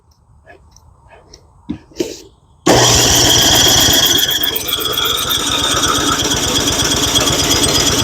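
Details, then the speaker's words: Junk boat engine, fuel on, after primer pumps: steady fast cranking churn with no catch; engine spins but won't fire, spark plug looks okay, starter fluid tried next. "Ah, she seems like she wants to fire. So, I do have the fuel on, right? Yep, that's on. Man, she sounds like she wants to and I want her to."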